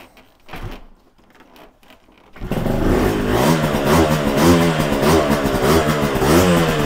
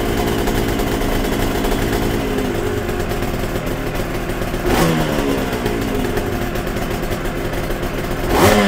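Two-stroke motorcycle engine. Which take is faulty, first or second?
first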